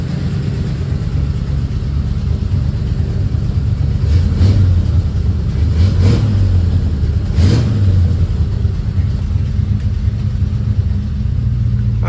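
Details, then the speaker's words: 1940 Ford Tudor idling after new tailpipes from an eBay kit were fitted along the frame rail: steady, even low burble, no knocks or leaks; quieter, fumes no longer coming inside. Normal idle. "this is quieter I can tell hey man I think that's a win"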